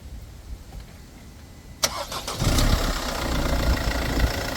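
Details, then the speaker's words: 2011 Mercedes-Benz Vito 113 with OM651 diesel after timing chain tensioner replacement: brief crank, fires quickly, then a steady even idle with no rattle or ticking; normal start and idle. "Beautiful. So, it's a successful mission."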